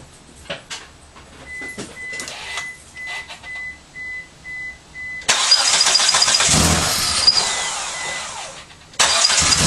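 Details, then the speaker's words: Eagle Summit after its valve lash adjusters were re-set (the head gasket wasn't the problem), second start attempt with some plugs unconnected and the MAF off: a chime, then a strong, even crank and start. Normal compression. "now. Oh my god, you've got full compression. I don't know about you, but that sounded perfect."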